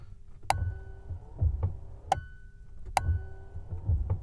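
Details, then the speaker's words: BMW E36, parked, wipers on full speed after resoldering the wiper relay, microphone near relay box: sharp evenly spaced clicks about every 2.4 seconds over low motor hum; relay switching normally. "And if you can, I will put the microphone down here, you can hear this relay box clicking."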